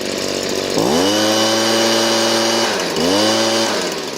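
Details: Warmed-up Stihl BG56C 27cc 0.9hp two-stroke leaf blower: after turning the high-speed adjuster back down about half a turn from cranked all the way, which gave a stutter at the top, it revs up twice and holds a smooth, steady high-pitched wide-open drone. Clean, normal high-speed running.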